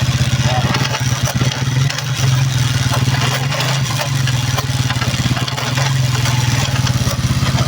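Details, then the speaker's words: Vento Raider 150 motorcycle: a strong low engine drone with a rough, pulsing mechanical rattle that is faint in first and second and worst in fourth gear. Gearbox damage; the oil filter is to be checked. "en la primera ya no se escucha tanto en la segunda se le quita un poco también Tercera y en la cuarta es donde tiene la falla"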